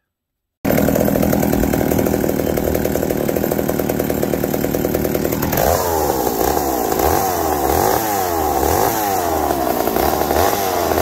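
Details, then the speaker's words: McCulloch 790 MC101 chainsaw with high idle, during first cut: screams at high speed, then the note drops and wavers under load; bogging, owner suspects leaning out, cause unconfirmed. "so don't like something like it's leaning out see if we go figure that out"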